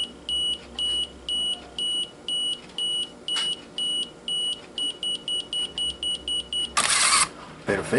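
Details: 1987 Pentax SF1 35mm analog film camera, self-timer selected via drive mode: high beeps about once a second, quickening near the end, then the shutter fires; self-timer counting down correctly.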